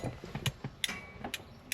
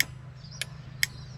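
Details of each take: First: Ford XA Falcon original flasher can, ignition on, unit unclipped and pulled out: sharp dry ticks about twice a second, slightly uneven; it started working only when disturbed, since its contact points are unreliable; indicators had just stayed on instead of flashing. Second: Ford XA Falcon after indicator switch and flasher relay replacement, wiring temporarily connected: crisp sharp ticks about every half second over a quiet background; indicators now flash normally.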